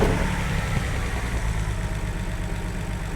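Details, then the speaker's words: BMW 330i E46 (written-off non-runner) first start: lumpy, uneven idle with dropped pulses, smoking, no mass airflow sensor fitted, oil leaking from rocker cover onto exhaust; misfire at idle. "runs it does run not quite sure how good yet smoking a bit what there's no math sensor on it probably why it's a bit crap"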